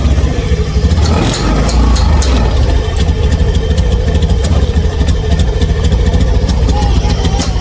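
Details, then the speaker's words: Honda Scoopy scooter brought in for stuttering (brebet) with a noisy engine: a low, heavy rumble that struggles and won't rev up freely. The finding is engine hesitation, reluctant to rev. "Kalau saya kadet terdengar suara berisik kayak gini. Ngiteng tuh. [musik] Ini kayak enggak kuat ya, Teman-teman."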